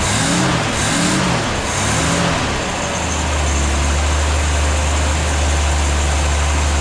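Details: 1964 Ford Falcon after head gasket work, idling once fuel took a minute to come up; the fuel pump was then found leaking. A low, steady idle hum settles and holds even with no misses or knocks.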